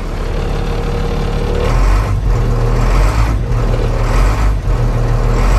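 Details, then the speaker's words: Old International dump truck, parked about 15 years, just started, 60 psi oil pressure: diesel lugs and rises under light throttle with deep drumming load; truck tried to move in reverse, not in neutral. "guys i don't know if you noticed that but as i was giving it a little bit of throttle the truck tried to move in reverse apparently it is not in neutral"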